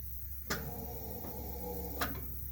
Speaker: you hear that you should have heard a click and you should have heard the hiss